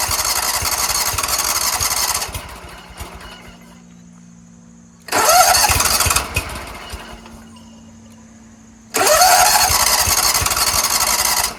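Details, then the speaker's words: Scag Tiger Cub 48-inch zero-turn mower, cranked on a 6000 A jump starter with seat springs held down: fires, runs roughly a few seconds, then dies repeatedly. Traced to a disconnected choke flap linkage on the carburetor. "so I was looking over here check this out there's a loose linkage right here meaning nothing is going to this throttle linkage is sitting right here"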